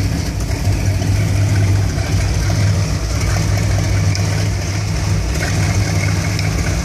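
Warm V8 idling with a lumpy, uneven low beat that stumbles now and then instead of settling smooth; rough idle, cause unknown.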